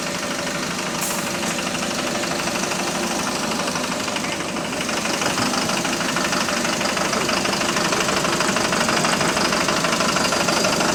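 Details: Bus HV48 on route 335 diesel engine: hard regular knock about three times a second over the diesel clatter, louder as the bus pulls away; loud rod knock suspected, cause unconfirmed.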